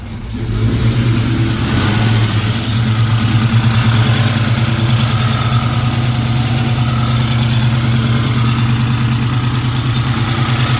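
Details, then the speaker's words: First startup of a rebuilt 2004 Mustang GT 2V 4.6 with ported heads and Comp cams: loud lumpy idle, quick light ticking from one bank's lash adjusters not yet pumped up, plus thin belt squeak. "the belt was squeaking and one of the banks with the Lash adjusters were a little bit loud until they get pumped up"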